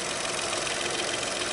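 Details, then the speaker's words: VW Up three-cylinder after a full service, all readings within parameters: an even, steady idle with only a faint vibration and no misfire or stumble; running smoothly. "motor não tremi tanto assim não tá Ó tem uma vibração Zinho Mas é bem leve"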